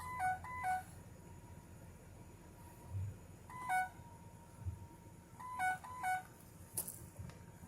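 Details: 2007 Ford E350 Econoline XLT, AdvanceTrac with RSC: bursts of two-tone warning chimes every few seconds over a quiet cabin hum, continuing after the van sat and after engine shutoff; traced to moisture in a sensor plug.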